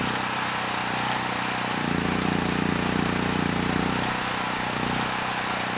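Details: Generac GP6500E generator, formerly seized engine now running, warmed up, tested outdoors under load up to 6,000 W near max: even drone deepens and settles as load comes on, no knocks or misses; 121 V held, 61 Hz to just below 59 Hz, distortion 6% to 16%; healthy.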